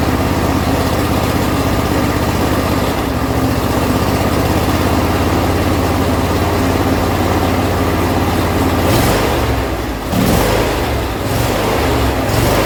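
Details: John Deere L120 mower after carburetor replacement, choke on, throttle about midway: fires without priming and runs with a low, steady, even thrum and a brief dip near the end; a small backfire follows.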